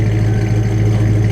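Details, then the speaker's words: 1995 Mustang Cobra V8 with BBK shorty headers, off-road H-pipe and Flowmaster American Thunder catback, started and idling: deep, even rumble through loud exhaust, no misses or knocks; sounds smooth and healthy, normal running. "Sounds pretty good at idle, man. It sounds really good."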